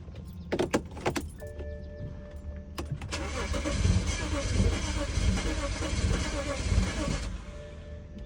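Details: BMW E90 with N55 engine: starter cranks steadily about four seconds but the engine never fires, crank but no start.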